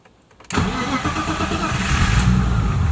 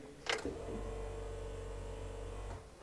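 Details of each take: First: BMW E30 M20B25 turbo six, after fuel pump problem was fixed (pump now quieter): brief crank, fires almost instantly and holds an even idle with no stumbling; starts and runs fine. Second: BMW E30 M20B25 turbo that stopped running; has spark, plugs dry, no fuel; fuel pump heard priming about two seconds at key-on, but fuel pump suspected failing. Finding: failing fuel pump.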